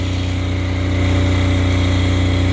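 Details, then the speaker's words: Apache diesel generator with no glow plugs, in freezing weather, after heat put on the needle that was likely stuck or iced up: steady, even thrum with a low drone, no misses or knocks, holding speed; normal running. "there we are running just fine so I ran this out of fuel I'm pretty sure that needle stuck is iced up I also put some heat on it fine now"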